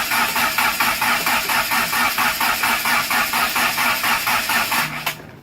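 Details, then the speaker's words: Turbo Conquest build on MegaSquirt, first start attempt, fuel pump relay left unplugged: steady starter cranking about two turns per second that never catches; crank no start, no fuel supply. "Oh, the fuel pump! The relay! Oh, gee dang, that'd be a damn shame, wouldn't it? I was wondering what I didn't hear."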